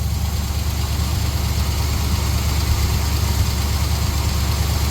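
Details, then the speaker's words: 1966 GMC pickup V8, owner suspects fuel line restriction or running out of fuel: steady, fast, slightly uneven idle held above normal because the faulty throttle linkage doesn't return and had to be pulled back by foot. "It's idling higher. But I also remember this throttle linkage is messed up. You'd have to pull the throttle linkage back with your foot because it would idle above whatever."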